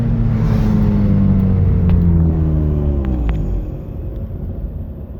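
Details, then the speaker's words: Mazda RX-8 under about 75–90% throttle: engine pulls hard then stumbles and power cuts out, only above about 50% throttle; coils a couple thousand miles old, plugs and wires not changed; ignition or fuel suspected. "did it again another misfire pulling back in driveway"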